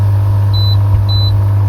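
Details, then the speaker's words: Lay-Z-Spa hot tub pump after cheap DIY fix of E02 pump error with Amazon part, water just below minimum line: steady even low hum, no clicking as before, two short control-panel beeps; pump running normally. "It appears to be spinning quite nicely. No clicking as previously. I think we've had a result."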